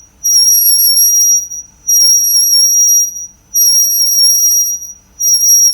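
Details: Car on lift, after sanding front and rear pads: front noise gone, right rear brake gives steady high-pitched squeal coming and going about every second and a half with wheel rotation; cause unclear.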